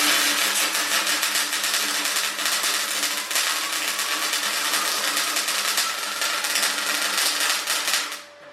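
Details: MIG weld: an even, continuous frying crackle with no pops or stutters until the arc stops at eight seconds. Settings are about right, though power could have been turned up slightly.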